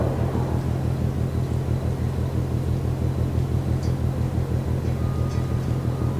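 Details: Container ship MAERSK TAIKUNG moored at Port of Genoa Pra', 1 a.m., recorded from over 1 km away: distant low pounding about twice a second, very even, over a constant rumble; rhythmic banging, cause unknown.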